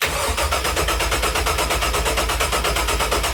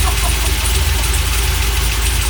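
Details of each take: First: Rebuilt LS1 V8 from 2001 Holden SS Commodore, with choppy Crow cam, swapped into 1978 Chevrolet C3 Corvette, first start: cranks about three turns a second with no firing. Crank sensor plug was on the wrong 3-pin sensor, so no crank signal reached the PCM. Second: Freshly rebuilt LS1 V8 with very choppy Crow cam, swapped into 1978 C3 Corvette, just after first successful start: loud, deep, lumpy choppy idle, firing steadily and holding on its own; healthy.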